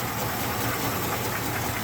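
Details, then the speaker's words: Restored 1969 Ford Bronco half cab V8 at cold start in 28°F weather, choke on, not in gear: busy light valvetrain ticking, slightly louder on one side, no deep knock; lifter noise, nothing substantial. "engines uh churning away cold no obvious knock going on can hear those lifters churning a little bit but"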